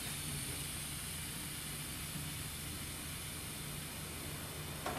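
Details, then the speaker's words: Pneumatic room thermostat that was hissing constantly, after refitting and testing; set to full cold, a soft steady hiss of air venting with no sputter or pulsing: normal air bleed. "now I'm going to go to full cold I can hear it bleeding off as it should"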